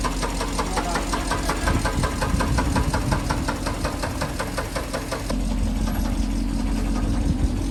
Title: S500 W140 engine knocked #long #s500 #w140 #brabus #sclass